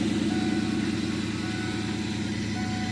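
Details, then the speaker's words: 1997 Ford Mustang GT, sat unused a while, started on a borrowed good battery (its own battery suspected faulty): steady idle with quick loud door chime about three per second on top; chime works normally. "So it starts. It's been sitting for a while because it hasn't been running. Door chimes really loud."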